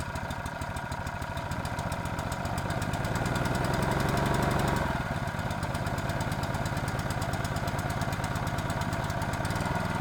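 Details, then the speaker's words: Honda GX120 water pump after cleaning and repair, water supplied, test run as owner reported it stalled after running briefly: steady even single-cylinder beat, brief pickup then settles, no misses or knocks; normal running. "he was saying it would run for a little bit and then stop so we're just going to keep running it"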